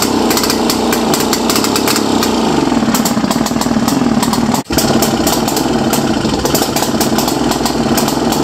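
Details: First start in a while of a 1929 Lockwood Racing Chief outboard, single carb, 1928 lower unit, muffler that looks welded and cut: fast, raspy two-stroke crackle that stays strong apart from one brief dip; running fine.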